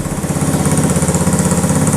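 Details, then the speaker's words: 1985 Honda ATC110 three-wheeler abandoned in a field, brake fluid sprayed down intake, on choke: single-cylinder chugging with an uneven, lumpy beat gradually steadying toward idle; running rough, owner suspects gummed-up carb. "Keep going. Keep choking on it. Come on. Come on. I bet that carb is gummed up on the inside."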